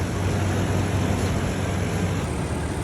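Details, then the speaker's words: 2012 Toyota Tundra V8 warming to operating temperature after a new thermostat, water pump and valve cover gasket. Low, even, quiet idle with no ticking, whining or rattling. The earlier noise is gone. "Engine is idling so quiet now guys. Oh my God."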